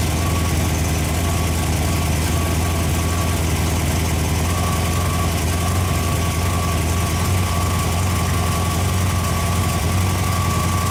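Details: Freshly rebuilt Ford FE 390 V8 (Edelbrock, fuel-injected, mild cam) on an engine run stand, fully hot after heat soak, holding temperature with oil pressure about 55: deep, smooth idle with an even low rumble and no knocks or ticks.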